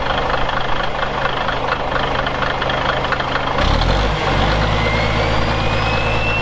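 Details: Caterpillar 1693 diesel in a 1977 Peterbilt 359 toterhome, fully warmed up: it idles with a steady, even beat, then revs up and settles cleanly with no misses or knocks. Normal running.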